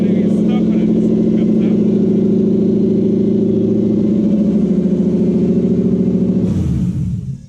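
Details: Deep, steady burble from the 1UZ-FE V8 in a 2003 Toyota Hilux on start-up after cab wiring work, running for several seconds before revs fall away as it shuts down; it runs, condition not yet confirmed.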